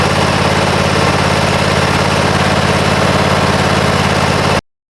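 Small single-cylinder engine running at a steady fast idle with an even beat and no knocks or misses; sounds healthy.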